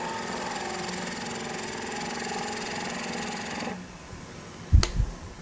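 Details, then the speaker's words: Skew chisel turning a thin spindle of quarter-sawn mahogany on a lathe, tool out toward the middle of the span: busy whirring cut with fluttering buzz over motor hum, the workpiece chattering at mid-span. "Now the vibration you can hear is because I'm out towards the center."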